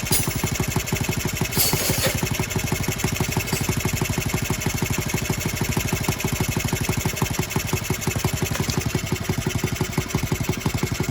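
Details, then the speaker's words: Honda Z50R minibike after restoration, first start with muffler, no choke: small single idling about three beats a second with a light metallic rattle each pulse; cylinder head loose and leaking. "out of there we got a cylinder head leak yep cylinder heads loose well that's fun it's not a big deal though"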